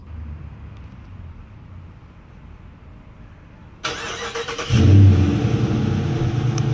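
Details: 2016 Dodge Charger R/T V8, 13k miles, with settled-in Gibson exhaust, drive-by: quiet then deep hollow aggressive exhaust roar revving strongly and evenly; normal engine revving.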